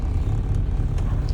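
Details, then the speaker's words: 1987-era Austin Mini Advantage 998cc four-cylinder, fully warmed up after a road drive, ticking over at a low, even, steady idle with no knocks or misses; healthy idle, described as purring. "And listen to it purring away."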